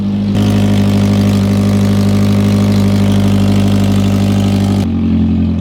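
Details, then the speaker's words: Modified 450 hp turbo Hyundai Genesis Coupe on ethanol, first start in neutral after wiring repairs: it catches and settles into a steady, smooth high cold idle with no misses or knocks, which comes down as it warms. "After it warms up, it should come down. Idle's coming down."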